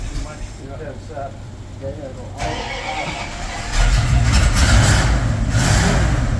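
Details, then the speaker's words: 1967 Bombardier Wide Gauge snow vehicle, cold start at customer pickup after nearly four weeks of repair work; fuel pump run a minute first to fill the carb. Engine catches at once and settles into a steady, strong run without misses: normal cold start. "Put the fuel pump on, let it run for a minute. That way, you know your carb is full."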